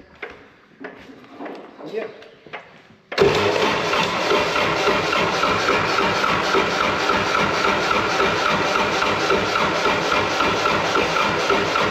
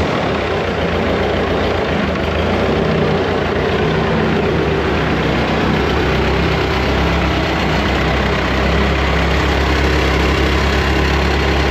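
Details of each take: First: Wood-Mizer LT70 sawmill diesel after sitting for years, with fuel pump primed by key-on: steady rhythmic cranking about four turns a second that never fires. Fuel starvation suspected. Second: Woodmizer LT70 sawmill, Caterpillar-badged Perkins 2.2 four-cylinder diesel, sat for years, first start after bleeding old fuel. Deep, steady rumble at an even idle with no misses; running good, normal idle.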